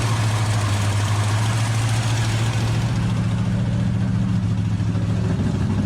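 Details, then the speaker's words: 1968 Dodge Hemi Charger V8 being returned to the road, idling low and lumpy with an uneven beat: not running on all 8 cylinders, possibly running lean with a large vacuum leak. "Ain't running all 8."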